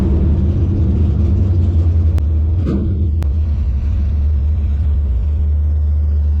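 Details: 1957 Chevy delivery with Hilborn mechanical injection, warmed up after valve lash set by feeler gauge: deep lumpy idle with uneven beat, stumbling; owner suspects lean misfire, maybe too little fuel needing a pill change.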